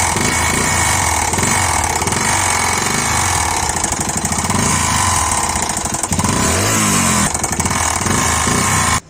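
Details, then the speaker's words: Bajaj Discover 112cc single-cylinder bike after another mechanic's engine work, revving: sharp metallic clatter over the exhaust; piston striking the cylinder head, marks visible on the piston. "चोट लगना . इसीलिए यह खटखटाने की आवाज़ यह होना ही था।"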